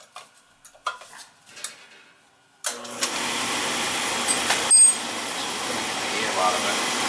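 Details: Oil boiler that kept tripping on safety reset, restarted after a new Firematic part and bleeding air: a few clicks, then the burner lights with a sudden roar and settles into a steady, even rumble, firing normally.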